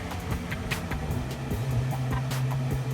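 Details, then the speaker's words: Replacement high-suction radon fan running after install: a steady low hum with rushing air and no grinding, the normal sound, unlike the old fan's end-of-life noise. "it's definitely a sound just not so much of a grinding sound just big time air movement"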